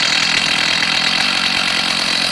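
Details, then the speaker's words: STIHL MS290 chainsaw with an 18-inch bar and chain: a steady high buzzing idle with an even beat and no stumbles or surging. It idles cleanly and starts easy. "So we'll set the the camera down and see if we can start it up. We're in idle mode right now."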